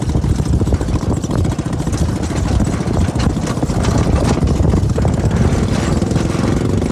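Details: CFMoto 250cc 172MM GY6 single-cylinder buggy with rebuilt head and old pickup coil spliced back in place of bad new one, riding in Warner Valley desert: strong even drone, no stumbling or popping over wind noise; normal running.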